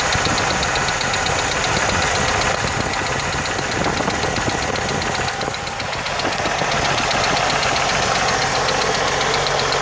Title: 1980 Jeep CJ7 ticking noise